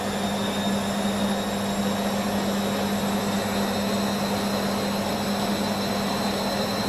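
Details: Beko washing machine, full load of dark clothes, Ariel cap detergent: steady motor hum and low drone never building to full spin speed; spin fails under suds lock, leaving lots of suds, no emergency rinses added.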